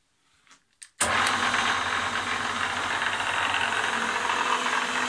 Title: Kikinda Ernault Lathe AC280 - knocking sound